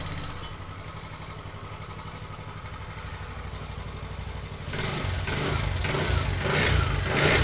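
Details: TVS Jupiter 125 BS6 scooter idling with a quick, fairly even ticking riding over the putter, then revving up. Abnormal engine noise, cause not yet pinned down.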